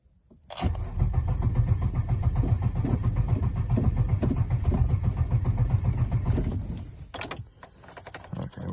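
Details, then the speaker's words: Abandoned 2002 Pontiac Grand Prix GTP 40th Anniversary, battery negative disconnected overnight, security light now off: starter whirs evenly about six seconds with no catch. Cranks but won't start; fuel pressure to be checked, fuel pump suspected. "to check the fuel pressure and probably pick up a fuel pump from work and this thing might start"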